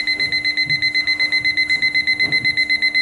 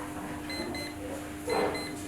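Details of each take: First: Time-piece alarm clock buzzer after tapping it to raise its low volume, sharp high clean beeps about four per second; normal buzzer alarm. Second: Alarm clock (time piece) buzzer giving faint, thin intermittent beeps at about 4 kHz in short bursts; the buzzer sound is weak. The suggested fix is tapping the buzzer to raise its volume rather than replacing it.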